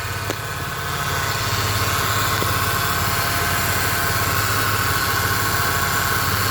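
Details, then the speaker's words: 2008 Pontiac G6 3.5 L at warm idle after bleeding air from the power steering system: faint even pump whine, no groaning or gurgling; power steering pump sounds healthy. "Let's go check it. Oh, well, she sounds good. I don't expect her to be church mouse quiet."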